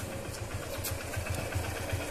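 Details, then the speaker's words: Motorcycle engine at idle after timing chain adjustment, nearing 30 to 40 thousand km: even, steady low thump with no ticking or rattling; clean, healthy engine with no unwanted noise. "एकदम प्यारी आवाज है गाड़ी की कोई फालतू की आवाज नहीं है"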